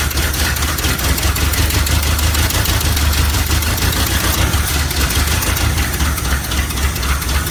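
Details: 1969 Chevy C/20 with 327 V8, first run after 40 years, muffler removed: deep, steady, even rumble with no knocks or misses; it runs well. The fuel pump is noted as not working, with the tank still to be cleaned.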